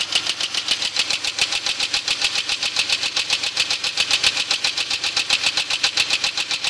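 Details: 2001 Grand Prix GT at idle: sharp, even ticking three to four times a second over a steady idle. The owner suspects lifter tick, but the cause is unknown.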